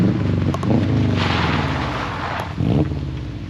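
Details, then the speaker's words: 95–05 non-turbo dual-port Subaru boxer after a Flashark unequal-length header install, driving away: an uneven, lumpy low burble under wind noise, with the earlier exhaust leak gone. Normal exhaust rumble. "So, already, as you can hear, the car definitely sounds a lot better than when we started. Now, we've got that unequal length rumble, and we also don't have an exhaust leak anymore."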